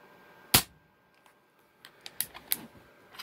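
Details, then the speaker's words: Benjamin Fortitude PCP air rifle after the hammer spring depinger fix (O-rings act as a shock absorber): a single sharp crack that dies away at once with no bell-like ring or spring resonance. "just like II tuned to PCP sounds great absolutely no ring whatsoever can't beat it in my opinion"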